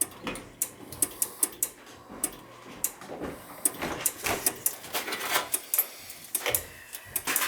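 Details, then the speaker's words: Dunkirk high-efficiency floor-standing gas boiler: sharp dry clicks about three per second with no motor, relay cycling on and off even with thermostat disconnected; water found, probably a bad control board. Relay clicking. "so all right another thermostat this connector is still clicking back and forth nothing's still operating on and off on and off and i got the thermostat disconnected"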